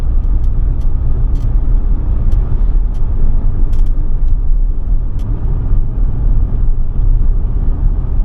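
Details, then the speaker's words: Ford Transit Custom van after new turbo, DPF clean and ECU remap, accelerating on the road; smooth, even low rumble under load with no whistle, flutter or misfire, much quicker than before; normal running. "it's a lot quicker it's running so nice"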